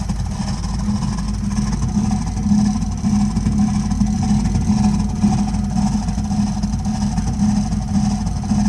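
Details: Burnham Alpine boiler with a continuing problem of loud noises while running: a deep, continuous rumble with an uneven throb, cause not clear.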